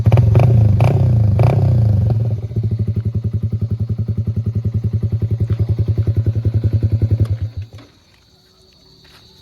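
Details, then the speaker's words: Yamaha Sniper 155 with Akrapovic muffler, stock ECU, otherwise stock: sharp pops during revs, then steady thump about 3.5 per second as revs drop; backfires on deceleration above about 2,000 rpm, owner blames stock ECU. "May backfire siya sa mga after 2,000. Pag nagbaba yung may backfire. Pero pag nataas naman okay naman."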